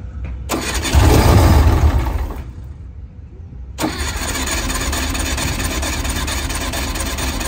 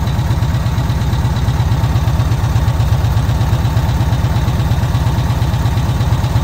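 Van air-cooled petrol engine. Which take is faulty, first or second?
first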